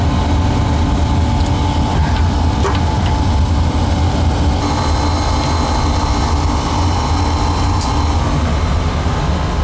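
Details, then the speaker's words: Oil burner after replacing the badly clogged oil pump filter, plus new nozzle, tank filter and power venter motor: steady even roar, pump whine gone, no longer struggling to pull oil; normal burner operation. "Can you hear the pump line is gone now? It's not struggling to pull oil."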